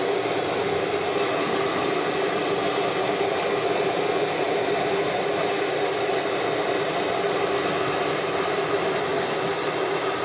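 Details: Formula 6000 Turbo hair dryer, after disassembly and cleaning of a hair clump that had loosened the fan, outlet at 29°C: steady, even air rush over a constant motor whine with no rattles. It is running normally after the repair.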